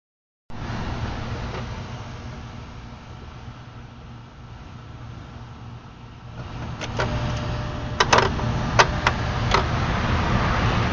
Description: Not turning the car on, just the power inside the car.